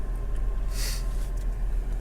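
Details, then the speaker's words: 1992 Opel Vectra A 1.6i GL, C16NZ 1.6L four-cylinder, 75 bhp: soft, steady low hum with an even beat after starting; normal idle. "So let me fire it up for you. Of course, we've got a clutch pedal down there. Listen to that hum."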